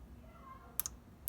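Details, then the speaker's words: 1987 Ferrari Mondial 3.2 with a cold start problem; cold start injector energized directly from the battery on the bench gives two sharp double clicks half a second apart, showing it gets power and snaps open. "what we should hear is the injector click if it's actually getting getting electricity so you hear the click"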